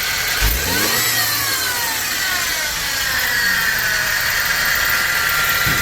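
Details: BMW engine revved in the bay: a thin whine rising and falling with the revs, a symptom of timing chain stretch that can lead to engine failure.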